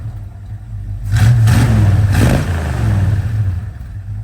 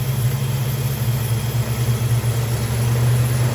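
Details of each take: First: 1968 Dodge Dart 270 sedan, 360 V8 with 727 automatic, single point distributor: after idle mixture and speed adjustment, deep V8 burble blips up and settles cleanly, no stumble or hesitation; throttle fixed, runs awesome, normal revving. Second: 1968 Dodge Dart sedan, 360 V8, Edelbrock carb, cold idle with choke not yet wired, timing checked first: deep, steady, slightly lumpy V8 idle, no knocks; idle mixture much too rich, wanting about one turn out.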